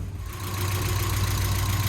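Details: 1992 Mazda Miata (NA) engine, freshly rebuilt with new seals and fluids, idling while warming up and burping the cooling system: smooth, even low idle with a steady beat, no knocks or ticks; normal healthy idle.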